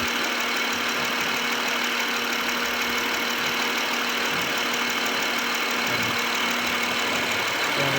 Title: 2014 HONDA ACCORD V6/Engine Knocking Sound at Cold Start/Cause and Remedy(Part 5)